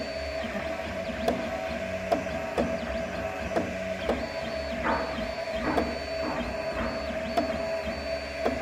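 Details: 3D printer extruder feeder stepper clicking: sharp, irregular clicks about once a second over steady motor whine as the stepper turns back or skips steps, underfeeding material to the extruder and causing strong vibrations.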